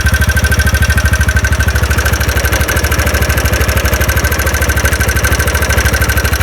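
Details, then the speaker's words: TVS Ntorq scooter at idle after one-way clutch work, engine refitted: light even tick on every firing beat persists, so the problem is not only the one-way clutch; connecting rod also suspected. "तो देखिए अभी भी sound का जो problem जो है व solve नहीं हुआ मतलब आपका कनेक्टिंग का भी काम करना होगा तो यह ओनली वनवे का प्रॉब्लम नहीं है य कनेक्टिंग का भी प्रॉब्लम है"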